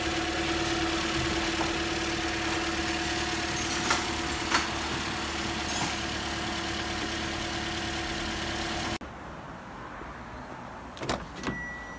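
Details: 2015 Toyota Corolla, 73,000 miles, had random misfires P0300–P0304 and intake camshaft position actuator code P0010; after repair at the air line: smooth, even idle, steady hum, no misses, knocks or hunting. Normal idle.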